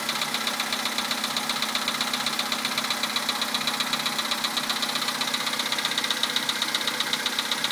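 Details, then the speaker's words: 2011 Volkswagen Polo Sedan, 64,000 km, Liqui Moly Molygen 5W-40 changed about 200 km ago, 98 petrol, cold start at +2°C: sharp regular knock about twice per second over steady idle; internal engine knock, cause unknown. "За бортом +2. Такой вот неприятный стук. Уже задолбал."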